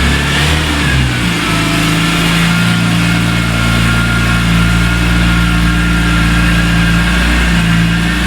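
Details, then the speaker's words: 2003 BMW E46 M3 CSL after replacing broken SMG motor with Burkhart upgraded kit and SMG oil, bonnet shut: smooth engine pulling slowly, light revving, no clunks; forward and reverse engage, no faults or cog light; normal SMG engagement. "well, as you can see, the car still drives, so can't do anything too terribly wrong. It goes into forwards gears and reverse. Everything seems to be working nicely."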